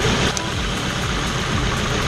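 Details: Petrol car with misfire code P0300, individual ignition coils tested by unplugging each at idle: engine chugs low, lumpy and uneven with one cylinder not firing, showing the coil was sparking.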